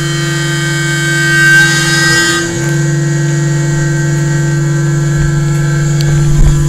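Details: Carbide3D Nomad 883 desktop CNC mill cutting a test gear with a 1/8 or 1/6 inch end mill, no lubricant yet: a steady buzzing tone with a harsh rasp throughout the cut. The cut sounds rough; cause unclear, lubricant suggested.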